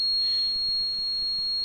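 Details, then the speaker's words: Car running on gas, gas injector 3 deliberately disconnected in a simulation: the gas switch sounds a steady high-pitched buzzer alarm, diagnosis shows injector 3 open load, signal lost; car then switches to petrol. "now you hear that uh switch is uh playing this sound and U as you see here gas injector 3 is in open load this is meaning that we have lost um the signal of the gas injector"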